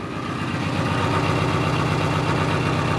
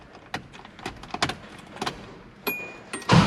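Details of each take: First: 1986 Subaru BRAT running with the accessory belt removed, a smooth even idle at about four pulses a second with no whine or rattle; the noise is gone, pointing to the suspected water pump. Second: 1986 Subaru BRAT after a tune-up (new oil, filter, valve cover gaskets, spark plugs): the engine runs with a rough, rushing whir over the idle, suspected to come from the water pump bearing. The noise then goes quiet, confirming the water pump.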